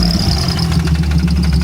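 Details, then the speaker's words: Supercharged 3800 engine in a 1988 Pontiac Fiero-based F355 replica, first test start with no oil pressure: fast, hard metallic rapping at roughly ten per second over the idle; rod or crank knock. "my worst fears were realized there was no oil pressure the distinctive sound of rod or crank knock basic engine death the rattles were horrific"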